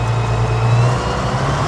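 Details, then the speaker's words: Case Maxxum 5140 tractor for sale, running; steady deep diesel drone with an even low throb, no knocks or rattles, gears good, though owner notes a shaft seal leak. Normal diesel running. "But it sounds lovely. Goes, yeah, the gears are good."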